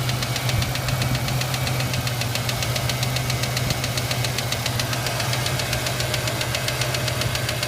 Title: Ranger ticking sound help